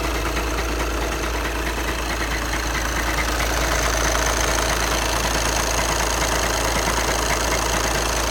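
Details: 2011 VW Passat B7 2.0 TDI CFFB 140 PS, DSG automatic, 277,000 km; steady diesel idle with dry fast rattle on top from the gearbox area; dual-mass flywheel suspected, not confirmed.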